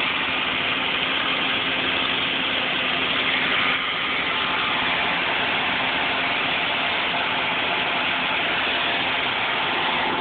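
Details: 2001 Toyota Celica GT petrol engine at idle with a loud, steady airy hiss over the quiet idle; owner unsure whether it is a vacuum leak or a head gasket leak.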